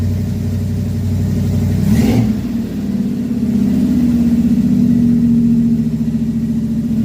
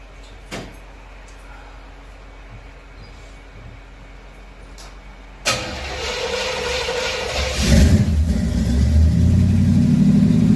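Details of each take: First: Carbureted Chevy V8 stored since 2010, first start in 15 years after new carb, fuel pump, plugs, wires, Hooker headers, custom H pipe and two Flowmaster mufflers; deep steady rumble rising smoothly with throttle and settling back; normal idle and revs. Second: Chevrolet Camaro first start in 15 years after storage, with new carb, fuel pump, plugs, wires, Hooker headers and H-pipe with two Flowmaster mufflers: engine cranks, catches and runs rough with a faint high squeak; a mouse had lived inside; source unclear.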